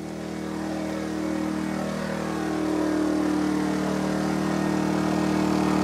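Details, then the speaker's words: Energizer eZV2000P gas generator pushed near max load, powering an RV camper, a lithium battery-bank charger and a Lion Energy power station charging at about 700 watts: strong steady drone climbing slightly as load comes on, then holding smooth and even; healthy under heavy load. "So I'm really maxing out that little generator, almost running flat out. So we'll have a listen to the sound and how it handles the max load."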